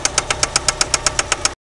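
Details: 1993 Eagle Talon turbo, stock 7-bolt 4G63, at idle: sharp, evenly spaced metallic knocks about eight per second, a spun connecting rod bearing confirmed by play between rod and crankshaft with the oil pan removed.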